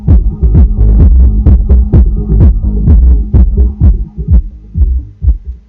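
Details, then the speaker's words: Soundigital 12000.1 EVOX 1-ohm car amplifier, powered with remote on: deep clean bass thumps at about 128 a minute with no crackle or cutting out; normal amplifier output. "Bon ben, on entend qu'il y a du son, hein."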